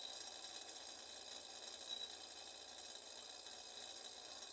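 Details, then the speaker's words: Stainless-steel refrigerator compressor, suspected burnt out, runs with a loud, harsh steady whirring hiss while still cooling; the owner says it is not low on gas but the motor has shifted inside its housing, not confirmed. "aí ele não quer dizer que tá sem gás ele tá deslocado acontece bastante disso gente"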